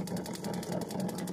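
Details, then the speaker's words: Newly installed gas geyser switched on: quick, even tak-tak igniter clicking over a low burner rumble, the normal sound of it lighting and running. "आवाज़ आ रही है ना टक टक की, तो गीजर की आवाज़ है।"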